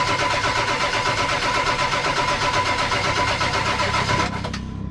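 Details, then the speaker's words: 1999 Ford F250 7.3 Powerstroke diesel abandoned 6+ years, with compression, fuel and high-pressure oil present: steady starter churn that never fires; owner suspects weak batteries, possibly sticking injectors. "this is what I've always gone through with Spike batteries on a diesel there's just not enough there to just keep it going long enough to light it"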